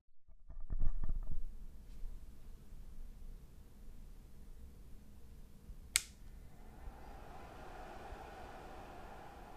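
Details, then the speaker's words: MFJ-4230MVP 13.8V 30A power supply, mic close to the unit, fan running very low during 100W FM transmissions from a TS-2000: faint, soft airflow whoosh rising and fading, judged quiet and fine. "after a little while it went on but very very low so that was very good after a few transmission so as you can see in the picture right now is that I had the mic closed to the power supply so you can hear the fan noise"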